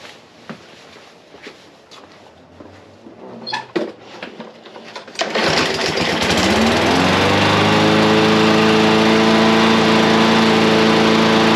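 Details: Briggs and Stratton small engine after a carburetor cleaning: it starts raggedly, then settles into a steady, even high-pitched drone with no hunting. It no longer runs slow and now runs normally.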